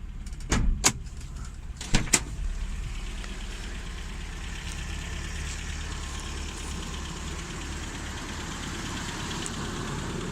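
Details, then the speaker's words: Newly bought 1988 Toyota 4x4 pickup, 22RE engine, 166,000 miles, largely original: door and hood thumps, then a steady, low, even idle with no knocks or misses. It runs normally. "Kind of doubt it, but we'll crank it up. Runs fine, no problems."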